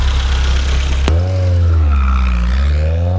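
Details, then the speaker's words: 1972 BMW 2002tii, already warm, revved: deep even note climbs smoothly and settles back with no misses or knocks, no smoke, sounds really good; healthy engine rev. "go ahead and rev it up here doesn't blow any smoke you know sounds really good"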